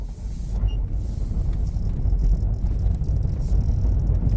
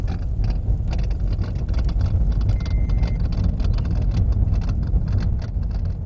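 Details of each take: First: 2012 Toyota Prius V test drive after replacing the worn steering column electric power steering motor coupler/bushing: steady low cabin rumble, no rattles over bumps; steering feels like new. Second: 2012 Toyota Prius V rolling over rough ground: loose, irregular clattering from the steering on bumps and gravel, caused by a worn rubber coupler/bushing between the electric power steering motor and steering shaft, which is then replaced.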